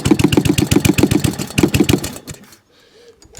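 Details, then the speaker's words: Job-lot small mower engine, revved off choke, with a carburettor thought wrong for the engine: fires in uneven bursts of about four per second, surging then dying away. Governor arm and spring not connected, so speed hunts; fuel leak present, carb swap may be needed. "but it ran, so a bit of fine tuning there. The governor spring's not connected, got a bit of a fuel leak as well coming from somewhere, I can see."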